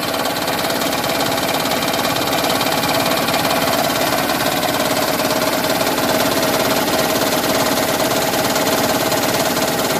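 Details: 2010 Toyota Prius engine running with a busy, rattling, sewing-machine-like chatter pulsing about twice a second, the so-called raptor sound; internal knock, cause not identified.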